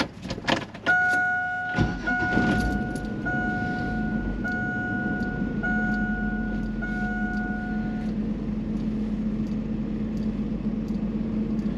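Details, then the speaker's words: Chevrolet Astro van, just after motor mount replacement for sagging mounts; start with door chime then steady even low idle hum, no knocks or clunks, slight rumbly vibration felt mostly in steering wheel; healthy idle. "Okay. So I do feel kind of a rumbly vibration but not not bad. I feel it mostly in the steering wheel."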